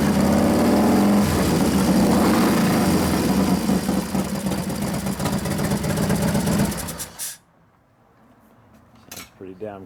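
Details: New 1993 Harley FXR Evo 89ci stroker build, first start using compression releases after starter trouble (suspected relay); loud, even V-twin lope holding a steady beat before shutoff, no knocks or misfires: normal idle.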